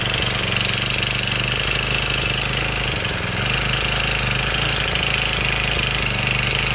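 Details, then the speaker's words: Honda GX35 brush cutter engine, over 10 years old, at idle after setting coil gap to 0.20 mm and adjusting the exhaust valve: noise slightly reduced, but a sharp fast clatter remains, attributed to worn piston rings and a loose engine. "ครับโอเคนะครับก็ได้นิดหน่อยแต่ที่ดังที่ดังแบบนี้ก็เข้าดังแหวนนะครับ"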